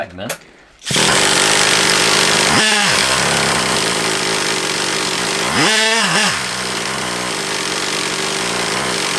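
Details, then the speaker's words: Traxxas Revo 3.3 nitro RC car engine, runs poorly with a leak at the low-speed needle: high buzzing starter spin with short pitch dips under load, engine never catches; hard starting, risking burning out the starter motor. "I've got it running it runs but I don't run well I think it won't start good now"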